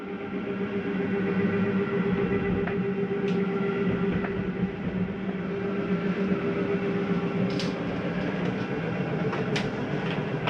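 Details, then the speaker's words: Jayco Eagle 340DROK travel trailer, kitchen-side living room slide (slide number two) retracting; steady, even electric motor drone holding its pitch throughout, no grinding or straining, slide motor healthy. "you can hear that from here slide number two retract our other living room slide kitchen side"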